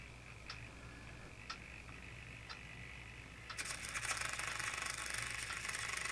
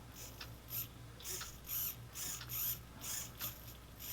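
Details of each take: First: RC airplane servo on a servo tester: faint steady hum with soft periodic ticks, then harsh buzzing chatter at one end of travel; servo has an internal problem. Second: Brand-new model airplane servo driven by a servo tester: short, even motor whirs repeating about once a second as it sweeps back and forth, with no grinding or skipping; normal servo operation.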